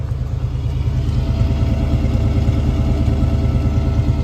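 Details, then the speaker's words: 1986 Ford Mustang GT 302 V8 just after mass air conversion: even, steady low burble idling just above 1000 rpm with no misses or knocks; clean idle, before base idle reset and timing check. "Idle's super clean. Sounds good. Right, just above 1000 RPM."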